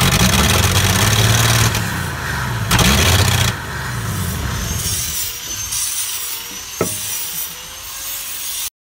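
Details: Dodge D300 slant six military truck, long stored, second battery, fuel in carburettor: steady cranking churn about four beats a second fades without catching; turns over but won't fire.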